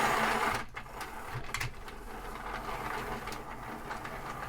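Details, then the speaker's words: HO-scale Santa Fe model locomotive on track power: light, even motor whir with no stalling or grinding, fairly quiet and running well. "yeah it's actually not running bad [Applause] that's you know it's actually fairly quiet for a nathan too"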